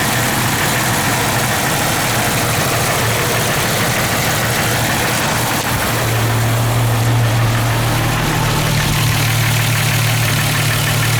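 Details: Jeep XJ petrol engine idling with a steady low drone and a faint, uneven knock, present hot or cold, gone under load. Cracked exhaust manifold replaced and flex plate-to-torque converter bolts tightened, each helped slightly. Cause still unknown.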